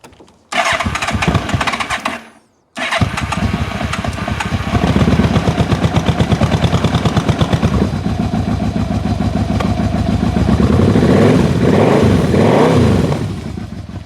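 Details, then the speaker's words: 1997 Yamaha Royal Star Tour Classic XVZ1300 on a cold morning with a little choke, genuine first start: catches first try, settles to a steady idle just under 1000 rpm that smooths as the choke comes off. "I didn't start it before I started filming this, so that was a genuine first attempt at start. Idling over just under 1,000 RPM."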